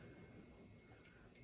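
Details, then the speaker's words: Multimeter continuity beep on a McCulloch Mini Mac chainsaw points ignition, red lead on the unplugged points-to-coil wire and black on the block; a thin steady tone drops out briefly twice. The points are closed. "okay you should hear it beep come on beep this thing's been buggering up a little bit always when you're trying to show something"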